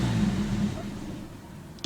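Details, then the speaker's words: 1988 Chevy Nova hatchback (SOHC) that idled fine earlier, now hot with the temperature gauge rising: when the throttle is released the engine note sags and nearly dies before a blip recovers it, stalling on throttle release, cause unknown. "And once it gets to about here, I let off and it wants to die. See, and I can recover, but it's when I let up on the gas,"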